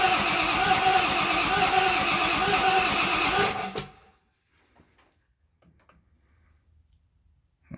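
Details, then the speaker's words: 7.3 Powerstroke (Navistar T444E) turbo diesel, stored almost 2 years, first start attempt: even cranking about three beats a second for several seconds, some smoke, never fires; test light shows no power at either glow plug terminal. "some smoke but it didn't fire so let's check make sure our glow plugs are working"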